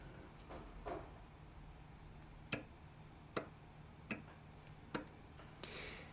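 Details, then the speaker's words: Escapement of an 18th-century three-train fusee spring clock, tested in a depthing tool outside the clock, gives sharp, uneven ticks about every 0.75 seconds with loud snaps. Internal and external drop are excessive, so both pallet faces were refaced. "now we can see that both what we call internal and external drop are on the excessive side so this is the uh free rotation of the Escape wheel and the rest of the train between phases of recoil and impulse"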